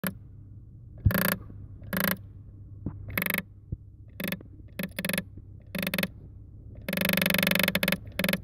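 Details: 2008 Toyota Sienna climate control mode door actuator (called a solenoid) behind the dash, directing airflow between vents; irregular dry clicking and gear grinding as it hunts because its internal position contacts have degraded over time.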